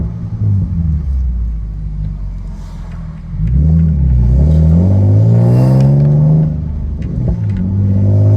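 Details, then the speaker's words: Nissan 370Z Nismo with aftermarket exhaust kit and test pipes, driving: engine pulls through revs with raspy, rattly edge on exhaust note under load; exhaust rasp, source not pinned down, owner hopes resonators will fix it. "i want to see if you could hear the rattle rasp noise that i'm talking about"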